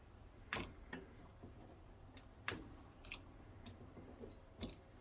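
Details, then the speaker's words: Circuit breaker switched slowly: a few sharp, irregular pops and clicks, roughly one every second or two, in a quiet room, possibly contacts crackling; popping at breaker contacts suspected but not confirmed. "You can hear a little popping there."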